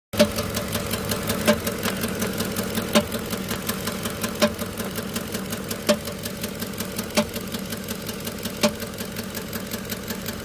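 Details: Petrol engine idling rough with a persistent misfire on cylinder 6 after plugs and coils were changed. A sharp metallic clank about every 1.5 seconds over light ticking; cause unknown.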